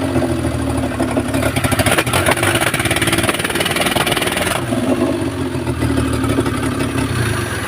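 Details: Maruti Omni MPFI without immobilizer that cranked but would not start despite good fuel pressure, spark, compression and timing: after a second-hand control unit is fitted it catches and runs steadily with light revving, no misses. Normal running.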